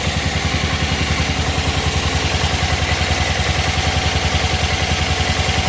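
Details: 1988 Club Car golf cart, 8.5 hp Kawasaki engine, barn find, idle lowered; engine runs steadily but an even clatter pulses two or three times a second over it, owner noting it runs smooth except for that; source unidentified.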